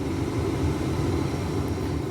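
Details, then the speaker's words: 2012 Ford Raptor, about 247,000 miles, cabin air conditioning blower on high after repair: strong, steady rush of air with no rattles or squeals; normal blower operation on high. "let's try the air conditioning I hear things it works listen to that turn all the way down medium and high man I'm I'm I'm loving it"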